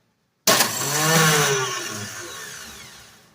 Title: Bad starter? | Prairie Practical